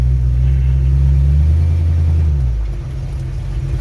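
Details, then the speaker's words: 1965 Mustang body on truck frame ("Truckstang"), first start after completing the build, at idle. Engine note drops and settles as reverse, then forward, engages, with no clunk or grinding. Normal transmission engagement. "we got reverse action. And we got our forward action."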